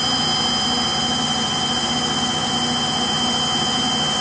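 Loud, steady jet-like roar and hiss during high-speed spin with a high whine on top; typical of worn motor bearings.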